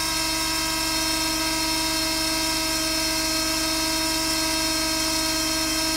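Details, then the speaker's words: Healthy power steering pump on a dyno at high rpm with 10 psi reservoir pressure: steady hydraulic whine, even tone, no gurgling or hissing; pressurized reservoir quiets cavitation, remaining noise from pump and motor. "now there is going to be a irregular noise that's coming from the pump and the motor itself because all hydraulic motors do produce noise especially at high rpm"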